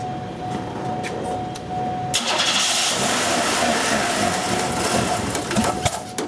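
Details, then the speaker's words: 1990 Buick Skylark, low power worsening as it gets hot, fixed-lean O2 reading: engine cranks, catches, runs roughly with strong steady exhaust hiss while revved, classic plugged, melted catalytic converter restricting exhaust; barely stays running. "what I'm hoping to show on the camera for this part would be the sound of the exhaust it has a hissing sound to it which is classic plugged cat sound"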